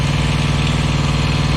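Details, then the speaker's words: Thermo King Evolution truck APU idling normally just after starting, following flex pipe repair, much quieter than before: steady, even low diesel thrum with a regular beat, no knocks or exhaust leak puffing, still warming up. "there we go it started up oh hear that much quieter"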